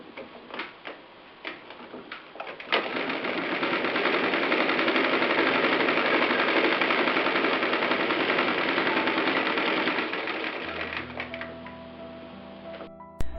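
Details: Singer 319W electric sewing machine converted to treadle with steel coil spring belt: quick, even needle-mechanism clatter at steady pace, nothing rubbing or knocking; normal machine sounds, belt adds little noise.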